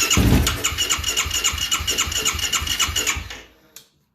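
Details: 2009 Yamaha YFZ450R, fuel-injected with an electric fuel pump: the fuel pump is heard at key-on, then the starter churns for about three seconds without catching. Crank no start; pump current is being measured with an amp clamp.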